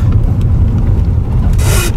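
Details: Aging car driven over a speed bump: heavy low rumble, then a short harsh rubbing creak as the suspension compresses; worn upper control arm bushing friction, fixed by replacing the upper arm.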